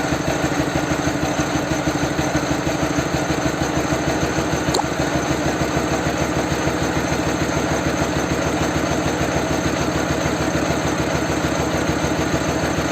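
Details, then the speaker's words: Dnepr motorcycle with a swapped-in Ural engine, carburetors being tuned one side at a time: a steady thumping idle about 200 beats a minute that won't pick up revs. Idle mixture is lean, so fuel and idle speed are being added. "он обороты не набирает если обороты не набирает значит смесь бедновато я лучше чуть-чуть добавится добавить чуть-чуть топлива"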